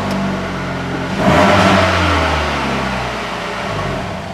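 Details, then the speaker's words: 2011 Ford Escape 2.5, 192K miles, stalled at stop sign: catches and runs briefly rough and uneven without throttle, then stalls; insanely rich, no engine light, mass airflow sensor suspected. "If you don't touch the throttle, that's all it does. And then it stalls. That's the most it's ran ever right there, but it is insanely rich."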